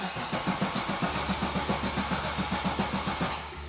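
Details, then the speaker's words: 1998 Camaro LS1 after garage flood: starter cranks steadily about three and a half turns a second, never fires; fuel pump switch and fuse had been underwater, cutting pump power. "okay well we're getting no nothing from that ah okay this might be a disaster sounds like you're just blowing a fuse or something"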